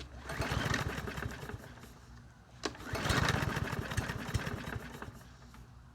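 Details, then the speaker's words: Troy-Bilt TB110 lawn mower, 550ex 140cc auto-choke engine, with its carburetor replaced by the previous owner and still no start; it smells of gas and the owner suspects the air filter. It fires after a pull, runs roughly a second or two, dies, then catches and dies again. "okay so I was trying to run but it shuts down let's try it"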